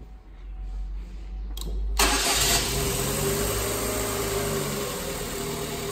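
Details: Holden/Chevrolet Cruze with U0100 code (no PCM communication), no crank and no power, caused by a rusted, broken positive pin at the ECU connector; after a new connection, a brief crank catches at once into a steady, even idle.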